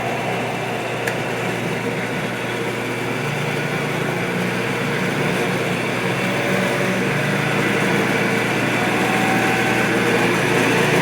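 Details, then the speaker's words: Restored 1961 Shopsmith Mark 5 "Goldie" combination woodworking machine, after more than a year of use, running with a smooth, steady motor hum and even belt whir, no knocks or rattles. Owner calls it an excellent runner as long as it isn't run too fast. Normal running. "There you go. I think it's an excellent runner right now, as long as I don't run it too fast and"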